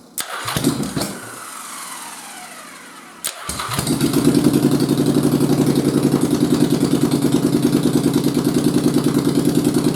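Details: 1st Gen Yamaha Virago (XV750/XV920) with XV1100 starting system swapped in, after shimming stator and pickups, choked, possibly flooded: starter spins, engine catches after a couple tries, settles to steady loping idle about three beats a second; normal, charging.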